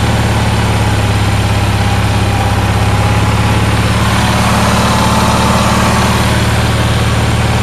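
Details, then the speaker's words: Onan twin started after 4-6 months sitting, fuel pump hooked up by hand: steady, even low drone with smooth regular beat, no knocks or misses; running well. "but H is running pretty good"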